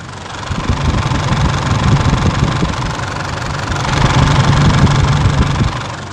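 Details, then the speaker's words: Engine idling after parts were replaced with new ones (the removed part made noise when turned, the new one is silent); steady low rumble with no knock or rattle, now quiet and healthy. Normal idle. "หลังจากเราเปลี่ยนอะไหล่ไปแล้วเราติดเครื่องแล้วมาฟังเสียงครับเสียงมันเงียบแล้ว"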